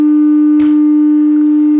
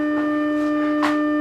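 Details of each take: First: Music & Sound MC602 radio intercom master amplifier after repair, test tone measured at the speaker terminals: pure steady mid-pitched tone with no buzz, rasp or crackle; clean sine wave, no clipping or distortion. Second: Music & Sound MC602 radio intercom master, 300 Hz tone at 300 mV peak-to-peak fed into amplifier, heard at master station speaker: steady low tone with buzzy, edgy overtone instead of clean sine; amplifier distorting.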